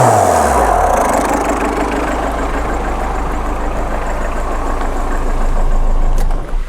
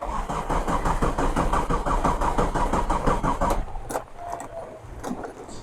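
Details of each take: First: 2002 Tata Indica diesel with mechanical engine, originally non-turbo, fitted with a second-hand Indigo turbo: steady, even diesel clatter with a low, smooth beat for six seconds before shutting off, no misses or knocks; normal healthy idle. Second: Old converted Tata Indica mechanical diesel, sat about 6 months, in heavy rain; long steady cranking about three turns a second, no start; owner suspects low diesel.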